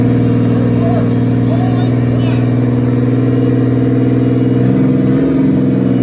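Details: Z24 with turbo 3400 engine, plugs gapped 0.035, very first start after a year of work: steady idle well above normal, even hum, no misses; owner unsure, possibly a vacuum leak.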